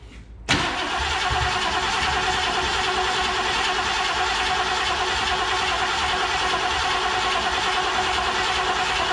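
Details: 1969 Mercury Cougar Sport Special with a 351 Windsor 2V V8, sat about 20 years: steady cranking churn for about nine seconds that never catches; no fuel reaching the carburettor.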